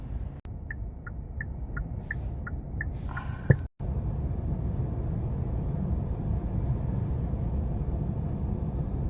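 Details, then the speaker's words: Hyundai Staria 2.2 diesel, stationary idle in park or neutral: low steady rumble with slight unevenness, rpm dropping below the normal ~900 and cabin shaking; rough idle, reported by many owners, cause not pinned down. "그래서 rpm 돼지를 보면 원래 보통 적으로 2 제어 한 파일에 900 rpm 정도 이렇게 유지를 해야 되는데 뭐 거의 뭐 그 이하로 떨어지면서 사가 우물 떱니다"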